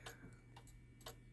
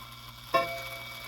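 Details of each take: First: Shanghai 555 pendulum clock after reassembly, leader turned so pendulum hangs properly, case level: clean tick-tock about two beats a second, evenly alternating with steady hum; in beat, running properly. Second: Shanghai 555 clock after cleaning: single sharp metallic strike with harsh, jangly decay instead of clean tone; chime hammers out of adjustment, to be fixed with hammer adjustment tool.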